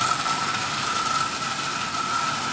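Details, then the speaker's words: Marx prewar single-reduction toy train motor, rusted, run in a 999 shell before dismantling: rough raspy buzz with steady high whine like a lawnmower; worn armature and brush plate, needs replacement. "i'm not gonna put a lot of effort into this motor anyway it does run but like i said it sounds like a lawnmower"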